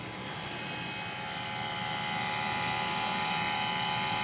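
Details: Nissan 350Z with engine off: steady electric whir with fine high tones as ABS pump motor keeps running; persisted after ABS module replaced with a used unit; fault not found, workaround is disconnecting the ABS fuse.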